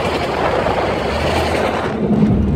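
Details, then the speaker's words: 1996 Jeep Grand Cherokee Limited (ZJ) while driving: a heavy, rough low growl under the road noise, with shaking like a death rattle from the front end; the owner suspects a bad pinion bearing or differential, not confirmed. "that's just sounds horrible horrible so I don't know then and then it has it has this up it has this up shaking that goes along with this like a death rattle"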